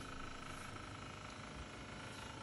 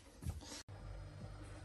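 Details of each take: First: Fridge/freezer making a loud, rough, tractor-like rumble from the freezer compartment fan, with the blade scraping against ice. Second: Fridge/freezer after the freezer-compartment fan that made a loud tractor-like noise was fixed and properly reseated: after a brief knock, a steady, low, even hum with no rattle or roar. The fridge now runs normally.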